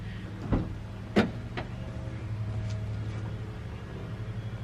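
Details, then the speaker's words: 1997 Honda Prelude BB6 H22A, M2B4 transmission, after crank-no-start fixed by installing a new distributor: a couple of sharp clunks, then low, smooth, even idle with no misses or knocking; running really nicely. "all right so there we have it we have success the car turned on beautifully it's running really nicely now"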